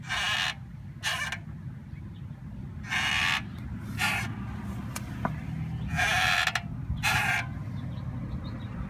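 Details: 2003 Volvo S40 rear brakes, at full stop: short bleating squeals, about six in nine seconds, on pedal press and release, also with e-brake; rear caliper found seized and replaced.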